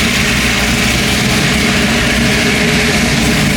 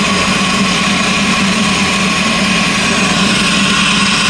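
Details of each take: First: LS V8 car running after a battery-pack start: a steady, even idle with a smooth low rumble and no knocks or misses; owner says it is running only halfway good until fully reassembled. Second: LS V8 in a Cutlass, idling to recharge the battery: a loud, busy idle with an uneven, stumbling beat underneath. One cylinder is misfiring from a spark plug wire arcing, costing power.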